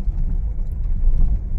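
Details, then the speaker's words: Honda Mobilio on an unpaved, potholed village road after the loose stabilizer link was tightened. A low steady road rumble with some wind is heard, with no suspension clunks or knocks. The suspension is normal and quiet. "Ya sudah nyaman ya Bro Ya sudah enggak ada bunyi belatak-gelatak di kaki-kaki"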